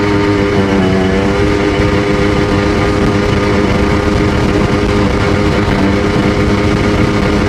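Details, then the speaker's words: Sea-Doo GTX DI 951 two-stroke rebuilt with new parts, test under load on fuel of unknown age: loud howl with rough uneven edge, skipping right at 4200 rpm as RAVE valves open though reaching full rpm; owner suspects an expanding hose. "Top end is good, but it's skipping right at 4200. Right when the raves go to open, it had a weird hose on there, and I don't know if there's too much expansion in that hose."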